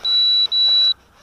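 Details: Eachine 3D X4 quadcopter switching from inverted flight back to normal upright mode: two short high beeps, nearly back to back, then quiet, confirming the mode change.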